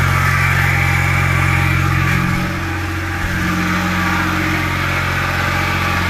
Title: E61 mechanical noise at idle